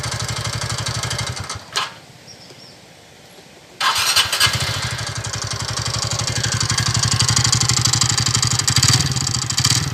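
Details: TVS Ntorq scooter: the engine stops, then restarts into a quick ticking clatter about four per second over the idle, caused by a loose magneto rotor; tightening the magneto solves it.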